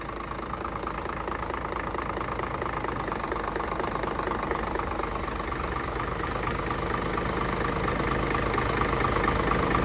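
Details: Hino J08C truck, 210 hp, inline pump, parked unused for 2 years, at idle: even diesel clatter with a steady beat near three per second, no knocks or misses; engine still in good health.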